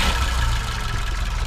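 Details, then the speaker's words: 1971 BMW 2002 E10, new accelerator pump in carburetor, fairly new battery, idling right after startup: low even idle with no misses or knocks; runs really smooth and healthy. "so runs really smooth sounds really good"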